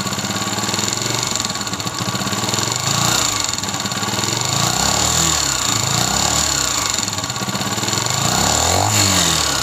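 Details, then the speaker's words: 2022 Honda CG125, silencer blocked so only the engine is heard: rattling clatter climbing in pitch and loudness with each throttle blip; a vibrating cam pin is the cause. "जैसे जैसे इसको accelerator तेज करते जाएंगे यह आवाज बढ़ती जाएगी अब सालेसर इसका बंद है सालेसर का साउंड जस्ट इसका इंजन"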